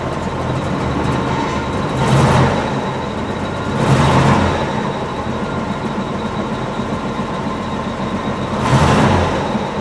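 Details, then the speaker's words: Jeep CJ-7 after fuel tank cleaned and reinstalled with new sending unit, warming up on four gallons to purge old bad gas from lines; low uneven idle surging about every two seconds, still rough; cause suspected, not confirmed. "still not right but let's get it down off the ramps okay so just warming it up here a bit trying to get the rest of that bad gas out of the lines"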